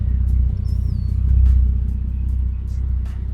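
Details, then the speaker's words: Toyota Supra 2JZ, cold, after cleaning the idle air control valve: deep, loud exhaust rumble with even pulses and only a slight waver; holds a steady idle on its own, more consistent than before the fix. "see like it's list it's a lot more consistent than usual though it's hopefully it see how it goes she's loud as too we might take that silencer off who knows"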